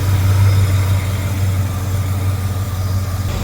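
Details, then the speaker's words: 1977 Mercury Cougar V8 after fuel pump replacement and a rerouted hose at 5 psi, cold day: steady deep idle with an even low rumble, the previous clacking gone; normal idle. "And then no more clack clack clack clack clack clack. I think it's fixed."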